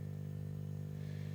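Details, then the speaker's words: 1957–58 Philips Philetta BD274U tube radio during restoration, switched on after fitting an FM antenna modification: steady low mains hum, even with no crackle, normal while tubes warm up before receiving; magic eye works but weak. "always takes a few seconds for this thing to warm up before it starts receiving and the first thing it's going to start doing is start humming"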